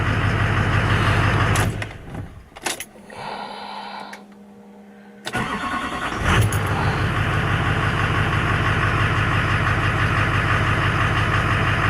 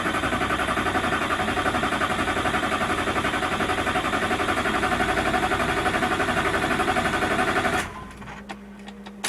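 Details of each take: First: Duramax LBZ diesel with new 60% over injectors and modded CP3 after a restart: steady, even idle clatter with no misses or surging; check engine lights went off. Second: Duramax LBZ diesel after fuel system teardown, modded CP3 high-flow pump and 60% over injectors: starter churns steadily at about four compression pulses a second, never fires; extended crank from air in fuel system, fuel lift pump left on.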